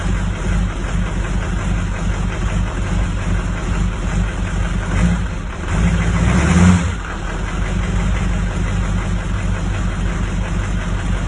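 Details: 2004 Duramax diesel with a deep idle that lumps and wavers unevenly, with a brief surge midway; rough idle, cause still to be tracked down.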